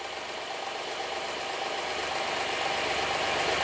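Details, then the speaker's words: Honda Pilot III (2016) J30A9 engine after timing belt tensioner replacement: even, steady idle with smooth hiss, no knock or tapping; tensioner no longer jumps; engine sounds healthy. "Слушай, да, вообще всё чётко. Прямо всё очень чётко."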